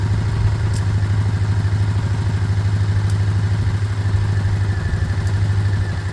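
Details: 125 motorcycle (Lexmoto Michigan or Herald Classic 125), said to be practically done, idling to circulate oil. An even low putter with no knocks or misses as it warms up. It is a normal, healthy warm-up idle.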